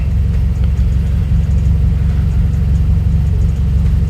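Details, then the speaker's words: Turbo car with newly installed generic TurboSmart-style dual-port full-VTA blow-off valve and Accessport, heard from outside after BOV spring adjustment: low, even rumble settles to steady idle after rev, no stumbles or hunting; AFR fine, no check engine light. "See if you could hear it from the outside. So you could hear it from the outside. Idle went back to normal. AFR is perfectly fine."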